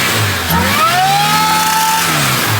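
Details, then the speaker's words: Toyota Sunrader motorhome with supercharged engine, cold start, supercharger whine: a whistle rises and falls with the rev blip, from a visibly wobbling pulley that needs fixing. "that I don't know if you guys can see that that pulley is mad so we need to fix"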